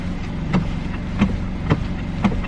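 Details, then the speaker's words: Ford Escape four-cylinder, 126,000 miles, with a lot of play in the steering wheel: four dull clunks about every half second as the wheel is worked at standstill over a quiet idle; steering clunk, cause unknown. "so that clunking right there is actually no fun so i'm curious what it is"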